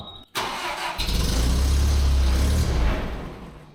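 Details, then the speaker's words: Terex crane engine after fuel mixture screw turned one turn richer: starter whirrs, engine catches and roars briefly, then runs down and dies once cranking stops; suspected loss of constant power to the fuel solenoid via the vacuum switch wiring. "h kind of makes me think it's not getting the constant"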